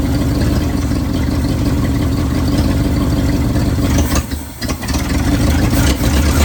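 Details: 1971 Ford bumpside wrecker truck V8 running loud and deep after an oil change, with an uneven, stumbling beat and occasional power dips; missing, not missing the day before.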